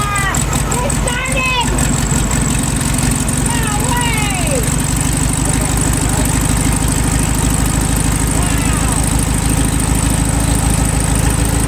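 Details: 1972 VW Beetle sat over 3 months in rain, battery charged 3 hours, starting fluid into carb, first start since bought: steady, even idle with regular low throb, no stumbling or knocking.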